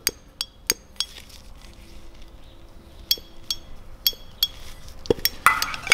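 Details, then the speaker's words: BMW S54B32 VANOS rebuild, third and fourth solenoid valves switched on the bench after magnet cleaning: crisp sharp clicks at uneven intervals; working freely, clearly audible now where previously inaudible; normal. "this is the third one and the fourth one clearly pronounced now previously you were not able to hear it"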